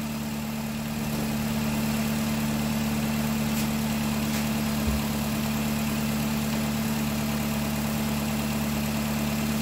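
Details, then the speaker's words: 2010 Nissan Cube with a replacement CVT, first start at idle: a steady low whine holds level over the idle; dipstick reads empty so fluid is to be added; cause unconfirmed, owner thinks it may ease once warm. "I don't like that whining noise it's making maybe that's normal maybe once the warm up the circulate it'll sound a lot better"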